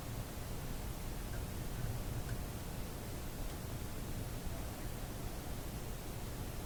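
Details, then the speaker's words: Philco 91A AM radio on limited power after reinstalling a rewound coil: only a soft, steady hiss with no station; the audio and tone control work, but the set is not receiving, cause unknown. "well isn't that a disappointing result now what am I doing wrong here"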